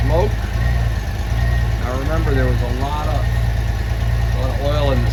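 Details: 1994 Honda GL1500 Goldwing Aspencade, first start in two and a half years after aftermarket fuel pump replacement, choke just off: low, steady idle with no stumbles or misses under voices; freshly started engine sounds healthy.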